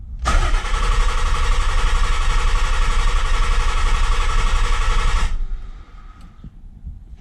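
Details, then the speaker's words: Nissan 300ZX barn find after fuel pump and sending unit replacement; starter spins engine steadily about four turns a second for five seconds but never fires: cranks, no start, spark to be checked next. "right so still nothing"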